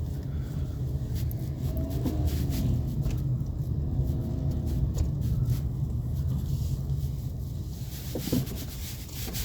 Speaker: Стук в тяге стабилизатора на Volkswagen Polo 2017 года выпуска, пробег 74 000 миль .